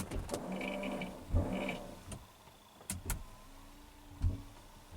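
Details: Oldsmobile Silhouette after the wiper repair, final check: the rear wiper gives short, even electric whirs with a soft thunk at each end of the sweep, repeating steadily, and is working properly.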